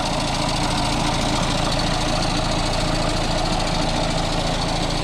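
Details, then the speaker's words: Audi A6 2.0 TDI with 0B5 DSG automatic transmission, idling on lift: steady rattling knock about three to four per second from the engine-transmission junction; worn dual-mass flywheel, also shaking and trouble pulling away, needing transmission removal and flywheel replacement. "And we can hear that the sound is coming from uh this side uh over here. That is uh that is where is the connection between the transmission and uh the"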